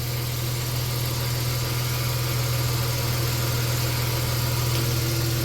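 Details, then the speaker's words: 1990 Dodge Grand Caravan LE, believed-original engine at 275k miles, which ticked when first bought, restarted from storage with oil pressure up: even, smooth idle with a steady low hum and no ticking; normal idle. "Listen to that motor pur. Remember how ticky that was when we first bought it? That motor is dead silent for 275. That's pretty good."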